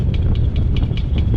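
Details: 2014 Subaru WRX, low miles, driven regularly: a high, scratchy squeak/grinding repeating about five times a second over the engine rumble; owner can't locate the source.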